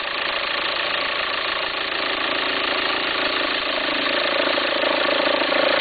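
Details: 2004 VW Passat 1.9 TDI diesel idling: rough, uneven flutter about three per second over the engine note, an unsteady belt rumble with the belt appearing to jump. Owner suspects a worn pulley, unsure whether to replace the pulley or the alternator.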